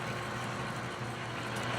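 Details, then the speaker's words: Drilling scrap steel for lawn mower racing wheel hubs at about 400 RPM: even, steady cutting noise with low machine hum, no squeal or chatter, cool white chips; speed is right. "if you notice there we got kind of white chips coming out of there and they're looking really really nice they're not too hot we don't hear it squealing"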